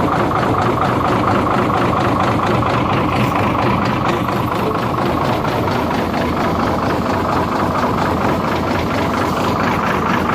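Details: Hino J08C diesel engine, oil coming from exhaust, cylinder five suspected: loud rough run with an uneven heavy knock about twice a second under the clatter, pointing to a broken piston and cracked cylinder.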